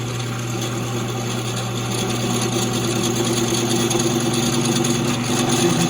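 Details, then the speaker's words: Worn, dull multi-flute countersink in a drill on clamped metal: steady drone with uneven buzzing rattle, heavy chatter giving tiny chips and a rough cut. "hear that noise that's all the chatter you can see how small those chips are this is probably cutting okay honestly but it's just kind of all over the place"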